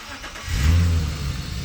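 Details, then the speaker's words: BMW E30 with turbocharged S52 engine: a short, deep rev swells up and settles back smoothly with no knocks or rattles. Engine sounds healthy. "but this thing is ready to rip we're gonna let you guys hear it give you a few revs might do a little burnout"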